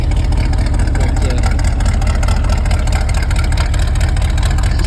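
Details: 1980 Ford F150 351 Windsor with long-tube headers, started in freezing snowy weather on a jumped battery after starter replacement: deep, steady V8 burble with even exhaust pulses and no knocks or misses, a healthy idle.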